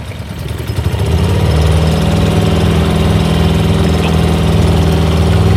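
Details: Dinghy outboard after about $800 of carburetor work: it starts and runs with an uneven, stumbling, lumpy beat around four pulses a second; carburetor believed not to be the cause.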